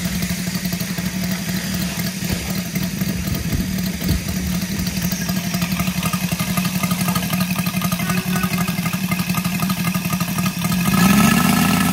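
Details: Brand-new Saito FG-73 R5 five-cylinder radial, fully upgraded with Morris Mini Motors hardware and exhaust ring, 32:1 fuel mix, Biela 20x10 four-blade prop, 600–5500 rpm: smooth, even beat, picking up as throttle opens; starts easily, runs healthy.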